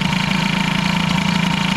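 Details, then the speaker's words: Air-cooled hybrid Peugeot 103 with Airsal 65 during variator and carb tuning: fast, uneven idle with a flutter like an occasional miss; the owner suspects an ignition problem, perhaps a poor engine-to-frame ground. "il y a un problème a priori on dirait qu'il y a un problème de d'allumage donc qu'est-ce qu'on fait"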